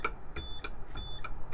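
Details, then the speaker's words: 1970s Micro-Term ACT-1 computer terminal after repair, sending Control-G: a short series of light ringing dings about every third of a second; the little terminal bell works. "Hopefully you can hear it. It rings the little bell."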